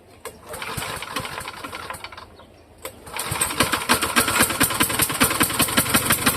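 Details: Vintage Toro walk-behind mower, a near-new marketplace find, just started after hard pulling. Sharp knock about three per second; owner wonders if the blade is loose, but it seemed tight and appeared professionally serviced, so he doubts it.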